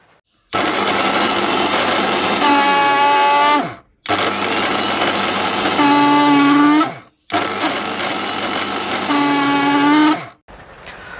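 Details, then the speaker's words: V-Guard 750 W mixer grinder running: three short runs of a loud, rough growling roar with a rising whine; motor bush worn out and shaft likely worn too, repair is replacing the bush. "അപ്പൊ ഇതാണ് ഇതിൽ നിന്ന് വരുന്ന sound എന്ന് പറയുന്നത് നമ്മൾ work ചെയ്യിക്കുമ്പോൾ ഭയങ്കരമായ sound തന്നെയാണ് വരുന്നത് പോന്നൊരു സൗണ്ട് അപ്പൊ ഇതിന്റെ ബുഷ് കംപ്ലൈന്റ് ആണ് ബുഷ് തേഞ്ഞു പോയിട്ടുണ്ട്"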